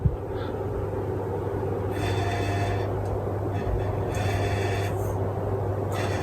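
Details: Westinghouse Turbo 2 ceiling fan on maximum speed, quiet until the light shade is fitted; then a low steady hum with a buzzy rattle coming and going as the shade vibrates on the light. Tightening the screws didn't cure it. Loose light shade rattle.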